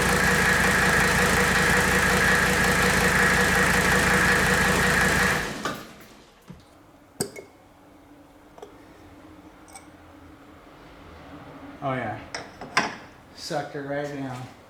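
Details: 1984 Mercedes W123 300D turbo diesel, idling during power steering bleeding after a fluid top-up: about five seconds of steady, even diesel clatter, then shut off. Smooth and healthy.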